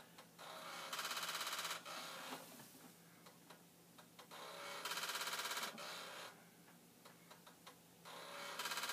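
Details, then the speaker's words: Vintage Commodore floppy drive (1571 or 1541-II) in a repeated-format torture test program: one-second buzzing head-stepping bursts about every four seconds with scattered clicks; drive having trouble, cause unclear. "so this one does seem to be having trouble just now trying to do this 18 times"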